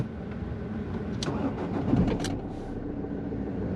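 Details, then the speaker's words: Ford Fiesta after repairs, cold start around 4-8 °C: engine catches at once and settles into a smooth even idle with no hesitation or misfire; normal cold start. "lovely started up really easy no hesitations no nothing"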